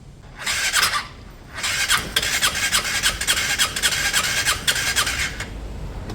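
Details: Piaggio Fly 125 fuel-injected scooter, first start after engine swap with fresh oil: repeated starter cranking bursts, slow to catch before finally firing; hard starting, needed a minute.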